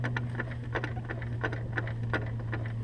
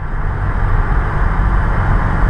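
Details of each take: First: Honda S2000 propeller shaft turned slowly by hand via the wheel gives sharp clicks about three per second from the worn driveshaft, a clicking heard for a long time that has worsened; the shaft is being replaced. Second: Honda S2000 after driveshaft (propeller shaft) replacement, driving: steady low engine and road rumble with no clunk when lifting off the throttle; the old shaft caused popping, clicking and a bad clunk.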